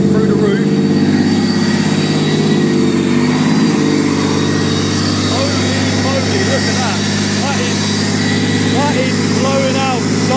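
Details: Honda NSX with supercharger and 6-speed LSD manual conversion, first start with new custom exhaust and boost gauge installed: strong, steady mid-pitched drone holding an even idle without knocks or misses, good oil pressure; healthy running.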